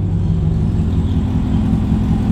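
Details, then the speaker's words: Camaro driving after the leaking exhaust header was repaired: deep, steady exhaust rumble with no ticking or puffing from the manifold. Normal exhaust note with no more leaks. "having no more engine leaks I can hear it it's sounds better y'all I promised it makes a big difference with no engine leaks right"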